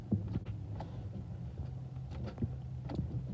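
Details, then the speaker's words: 2009 Chevy Malibu no-start: with the key turned the lights come on but there is only a single faint click and no cranking, with a low electrical hum behind it. The starter has failed. "It's having some starting problem. As you can see, you turn it over, all the lights, and hear a click."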